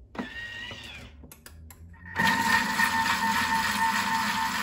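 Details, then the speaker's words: Thermomix whipping cream at speed 3.5 with whisk attachment, two minutes set: motor spins up to a steady whir with wet splashing, meaning cream still liquid and fine; when splashing stops, watch closely. "tant qu'on entend clapotement c'est bon dès qu'on entend plus cap et mandat c'est là qu'il faut surveiller parce que ça veut dire que la chantilly est tentant de monter"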